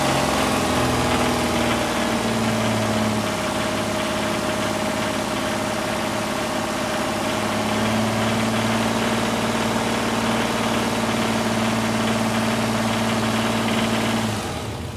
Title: Isuzu 6ve1 engine knocking sound 82000 mileage